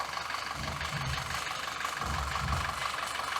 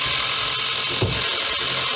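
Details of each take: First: 2014 Audi Q5 2.0 TFSI petrol at idle, uneven, surging and stumbling, with codes P0506 and P0300–P0304. Carbon cleaning and injector cleaning didn't help; smoke testing found a vacuum leak at the rear main seal, which was replaced. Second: 2014 Audi Q5 2.0 TFSI after rear main seal replacement fixed a crankcase vacuum leak (codes P0506, P0300–P0304), with intake valves and injectors cleaned: a smooth, even idle with a steady airy hiss and no misfires.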